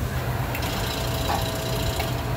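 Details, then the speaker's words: Traulsen reach-in cooler running too warm: a steady low hum that never runs up to speed as the compressor tries to start, stays locked internally, then cuts out on its internal overload. Locked compressor tripping its overload; the unit was replaced. "I could hear the the distinct sound of the compressor trying to start and just internally being locked up and then going off on internal overload"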